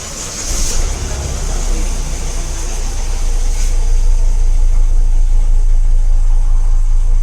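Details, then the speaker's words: 2015 Honda Amaze diesel: cranks and settles into a heavy, low rumbling idle with strong vibration through the whole car, also noisy in reverse; worn engine mount. "इसको हम start करते हैं तब vibration आ रहा है पूरी गाड़ी में। और एक सेकंड पॉइंट ऐसा भी है कि रिवर्स जब लेते हैं तब भी थोड़ा नॉइज़ कर रही है, पूरा वाइब्रेशन ले रही है।"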